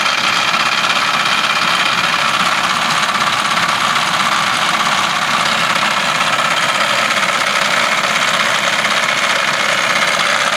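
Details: At idle with the air conditioning on: a busy metallic clatter runs steadily through the idle, a noise that comes in when the aircon is turned on, source unclear.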